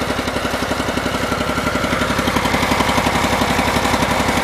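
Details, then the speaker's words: Cub Cadet garden tractor, possibly an 1884, with an 18 hp Command twin, warm: a steady loping beat about four a second, running only on the left cylinder because the right-hand coil is bad. "I think as you guys can hear, it's only running on this lefth hand cylinder when it gets warm."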